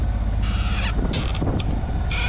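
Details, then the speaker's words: Moody 33S sailboat under engine: short repeated high squeaks over the low engine drone. A knot moving up and down along the boom causes them; WD-40 made it worse and washing-up liquid cured it. "But when you're on a boat you have a chance to listen to things, and this squeak is driving me doolally."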